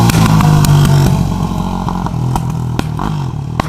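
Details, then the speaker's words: 2004 Yamaha YFZ450 first ride after rebuild: hard-revving single with sharp pops and cracks through the pipe every half second; popping attributed to needing carburetor jetting, though Can-Am power valves also suggested. "Reason why it's popping is because it's got the Can-Am power valves in it."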